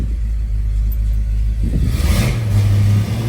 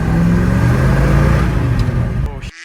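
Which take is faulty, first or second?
second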